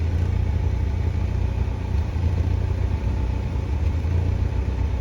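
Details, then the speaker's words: 1986 Pontiac Fiero after tune-up with new coil, O2 sensor and fuel filter (previously would not run): deep, steady, even idle around 800 rpm after coming off high idle, no misses or knocks, good oil pressure. "Yep, idling right about 800, right about where it should. All right, good deal."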